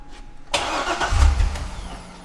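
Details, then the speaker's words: Wrecked C6 Corvette Z06, on a jump box: starter cranks about a second without firing then winds down; no fuel pressure, pump audible but barely flowing even when primed; crank no start. "Barely flowing anything at all. It's probably just the residual that was in the rail. Huh. Yeah, I wonder if it, like, because you can hear the pump, like you can hear the fuel pump, but it's just not doing"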